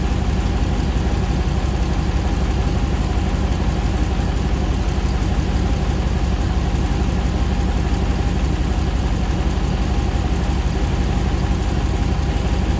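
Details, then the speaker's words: 2009 Hemi 1500 TRX4 auction truck, first start after months of rebuilding: steady even low rumble, about 87 psi oil pressure, smooth regular idle while warming, no knocks, misses or jerking as before; normal idle. "it's about 87 pounds of oil pressure currently sounds nice and smooth it's coming down on an idle we're not seeing it jerk around like it was before so that's good he sounds nice and happy"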